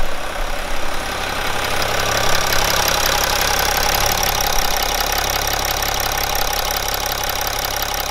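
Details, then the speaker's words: BMW E61 530d, M57N diesel, 235 hp, 232,000 km, after a broken timing chain repair: it settles into an even idle with its usual diesel clatter and no rattles or extra noises; normal idle. "down my combo opinion I don't I don't care any parasitic sounds for anything like this Everything feels fine"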